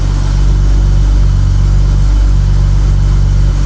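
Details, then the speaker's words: Rare 1980s Hartge-tuned BMW 5 Series straight-six, started on fresh fuel and a starter pack: smooth, steady low rumble with an even beat and no knocks or misses; a clean idle after its first start. "how nice is that just purring it is isn't it beautiful yeah that's ID is really nice that's so nice it's just so it's that that six the smoothness of a six"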